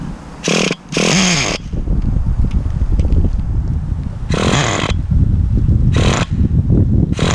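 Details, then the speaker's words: 2006 Traxxas Nitro 4-Tec 3.3 (Model 4809), 17-year-old nitro RC car on first runs: engine blips in sharp bursts then sags and stumbles, keeps dying and won't hold idle; owner suspects carb issue and leans low-speed needle. "So she keeps dying, so let me try and lean the low speed a little bit more."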